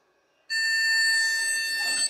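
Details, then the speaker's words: Vintage e-waste PC at power-up: one long, steady high beep of about 1.5 seconds, then silence, with the hard drives not spinning. It is a POST error beep. "it's not very happy definitely complaining about something"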